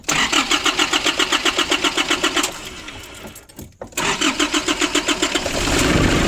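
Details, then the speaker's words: 2005 Nissan Urvan diesel after the pump repair and tightening a leaking pipe: steady cranking of about four per second, catches at once and settles into an even clattery idle. Normal one-kick start. "The problem is one hand, but the car now is working fine. It's only one kick and the car is coming on."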